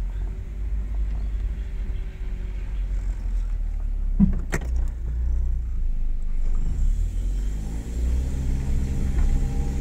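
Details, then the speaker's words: Warmed-up Honda Fit/Jazz CVT after adding Xado EX120, pulling away on a steep hill that always caused judder: even engine rumble rising smoothly, no judder; shudder gone. "that has gotten rid of the shutter that's pretty cool one more one more just for good luck yeah okay that's pretty cool definitely good well it seems to work"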